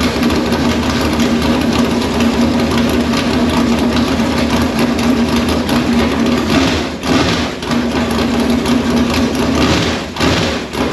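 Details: V8 in Conqueror chassis, first fire-up on open headers, oil pressure built beforehand, no radiator so run briefly: loud steady rumble, even firing, no knocks or misses; healthy.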